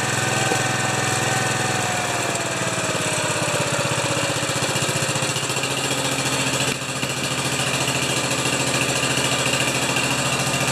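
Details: 10 HP Kohler K241 single-cylinder after fitting a new fuel pump, battery at 12.99 volts; steady thump at an even fast idle with no misses or surging; healthy running.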